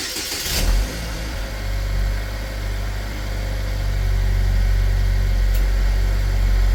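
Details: 2010 Chevy Equinox, about 112K miles, after Seafoam treatment for oil consumption and blow-by: quick crank and catch, then smooth even low idle that settles and holds steady; engine running healthy.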